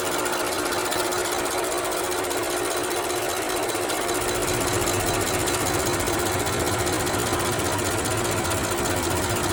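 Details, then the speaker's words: BMW X6 with "full engine power no longer available" message; customer reports rattle from engine when hot: loud, fast, busy rattle steadily over the running hot engine; source not yet found. "okay couple of things which the customer says has a rattling noise which is hearing from the engine when the engine gets hot and that sound is not funny it's really scary"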